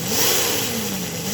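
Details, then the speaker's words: Model train motor in a reverse/boiler smoke conversion spun up from a crawl as voltage rises toward 31 V: clean whine climbing smoothly in pitch, even and steady; very responsive, keeps turning even at 1.5 V, 0.6 A. "think this is going to be a heck of a runner right there, even with the magnets that it has, because it's so responsive from nothing."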